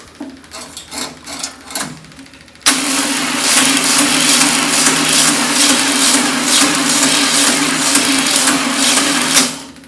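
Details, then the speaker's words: VW Beetle engine temporarily hooked up with an external gas tank, fuel pump and weak battery: the starter turns over sluggishly and unevenly with a steady drone, still cranking slow and rough even with a booster connected. "Sounds rough. Doesn't sound like the booster's"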